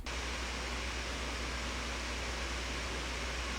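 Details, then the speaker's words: 2025 ASUS ROG Zephyrus G16 laptop after a year of use, transcoding video in Handbrake under heavy load: constant, even, high jet-like whoosh of the fans, no ticking or grinding; normal loud cooling fan. "Obviously, MacBooks no longer have fans, so they are dead silent, but the Zephyrus G16 can sound like a jet engine if you're really pushing it. Here's what it sounds like when transcoding a video using Handbrake."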